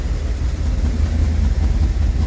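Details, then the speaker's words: Rolls-Royce Silver Shadow 2, sat neglected over 10 years, after twin SU carburettor rebuild and idle adjustment: deep idle lopes and surges unevenly while pumping black smoke; cause not understood. "It's just pumping black smoke out and it's idling weirdly. So, I don't I don't understand it."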